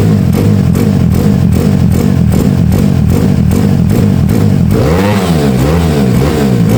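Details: Honda Beat carburetor scooter bored up to 130cc, 2+ years of daily use, with racing exhaust, raised compression, new cam and piston, KW PE26 carb; throaty clean revving through a loud pipe, no clatter or misses, engine runs cool; normal, healthy.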